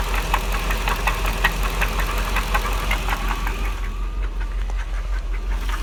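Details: 1999 Jaguar XJR V8 idle with regular metallic knock near three beats a second, appearing after overheating on a drive following secondary tensioner replacement; owner suspects rod knock, unconfirmed.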